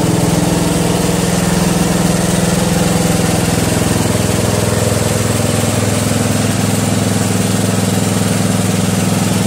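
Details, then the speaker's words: Murray Select 12.5 hp 40-inch lawn tractor, owned almost 20 years and always starts well: steady, even low chug at idle, about two beats a second, with no knocks or stumbles. Normal, healthy idle. "Believe it or not, my Murray is very reliable, regardless of what Murray is known for in their reputation. I've had this, like I said, for almost 20 years, and it always starts up perfect."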